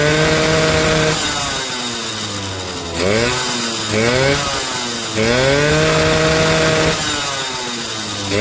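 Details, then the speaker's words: Suzuki RC 100 two-stroke after cleaning heavy carbon from the cylinder head: crisp buzz revving freely up and down and returning cleanly to idle, smooth and strong, throttle feels light; healthy revving, breathing freed once carbon removed. "suaranya halus pernah e mesinnya halus dan suaranya bisa Meraung ya teman-teman"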